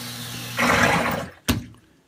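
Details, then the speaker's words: Sump pump running with water gushing, then a single loud thud as the old noisy check valve slams shut at pump shutoff, before replacement with a quiet check valve. "now you can hear this one's pretty noisy when it shuts off"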